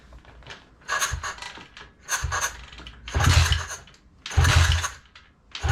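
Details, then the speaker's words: Neglected Thumpstar pit bike, choke on, key on, after swapping in another carburetor and intake: kicks about once a second with soft easy thumps and no firing; compression feels weak, owner leans toward needing a top end. "i'm not lost with this bike it makes no sense compression does feel kind of weak"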